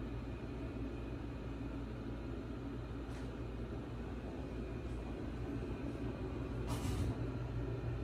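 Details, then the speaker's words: HeatStar 50,000 BTU gas garage heater lighting for the first time after vent kit install and gas leak test: steady, even burner roar, no popping, rumbling or flutter; burning smoothly, first heat felt. "i started to fire up there guys the burner is going on now pretty exciting there she goes i can feel some heat for the first time guys"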